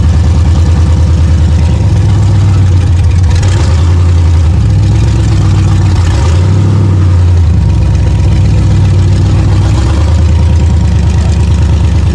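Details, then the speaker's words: Rough, lumpy, wavering V8 running on the 6L engine of an off-road El Camino after short-track racing at King of Hammers; it dumps oil out the breather. Owner thinks it is either very hot or on its way out. "And it was not running right. It doesn't look like it's completely blown up, but I think it's on its way out."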